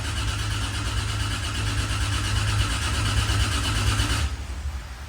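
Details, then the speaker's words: Freshly built 2JZ engine in a Corolla, cranking with cam angle sensor unplugged to build oil pressure before first start; steady even spinning for about four seconds without firing, no knocks or grinding, oil pressure achieved. "so everything's unplugged uh cranking cam angle sensor and everything so you should just crank with any luck if the timing's right and make oil pressure"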